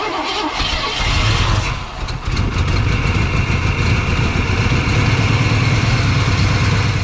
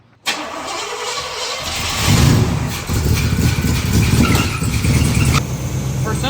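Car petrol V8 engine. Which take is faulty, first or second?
first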